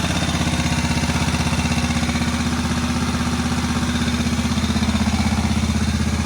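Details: Moto Guzzi single barn find idling on first start after about 40 years, following head work and still needing adjustment: steady, even putter about four beats a second, no knocks or misses. Normal healthy idle.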